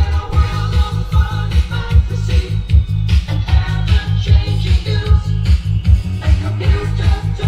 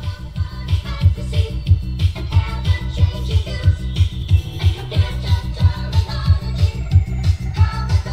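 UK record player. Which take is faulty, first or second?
second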